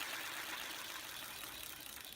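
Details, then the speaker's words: Hoover Junior U2128 upright vacuum after refurbishment; smooth even high whir of brush roll spinning freely, bearings running quietly with no grind or rattle – normal free-spinning bearings. "Sounds really good as well. You can hear the bearings working."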